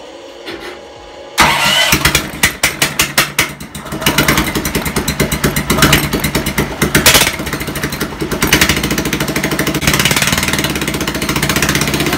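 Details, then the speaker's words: Half-scale NASCAR kart small engine, run on a stand with wheel spinning after fitting a larger sprocket: quick revving surges then sharp metallic clatter as the centrifugal clutch blows apart; possibly chain too tight or rusted clutch. "whoa good thing I had all these safety goggles cuz um the clutch just blew apart that could have been from the chain being a little bit too tight"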